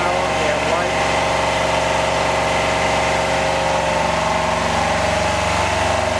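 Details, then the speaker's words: Home-built Yanmar two-cylinder diesel standby genset in a shed, just started: loud, steady clatter with an even, unchanging beat and no knocks or misses; running normally. "all right it's pretty noisy it's hard to hear there"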